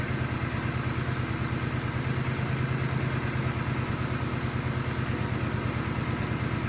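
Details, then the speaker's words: Countax ride-on mower tractor single-cylinder engine revived, warming up: even, quiet putter at steady rate with no rattles or knocks; a sweet, healthy-running engine. "Well, how about that? That sounds really nice."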